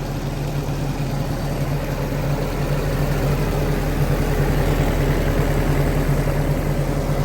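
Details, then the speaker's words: Willys-powered 120/240V 52 A Army skid generator, no load, good oil pressure, coolant low: low even chug holding steady, smooth idle with no misses, no smoke; normal idle. "no smoke willis just knew how to build them back then i tell you what y'all this is a testament it's a good engineering no smoke"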